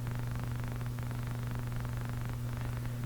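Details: National HRO-500 communications receiver running on its own internal power supply, fed about 105 volts: steady low mains hum with a buzzy overtone that never changes. Power supply hum, suspected weak internal supply, not confirmed.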